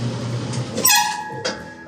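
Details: Maytag washer (Whirlpool MAV6000AWQ) at full spin: a low spinning rumble, then a sharp, high screech as the lid is lifted and the brake engages. Fault is the worn brake rotor (35-6714).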